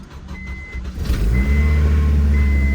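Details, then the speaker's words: Acura RSX Type-S, not run in a while, cold start: quick catch, steady low idle settling at once, no misses or rattles, reversing beep over it; normal cold start. "oh yeah nice little cold start for y'all"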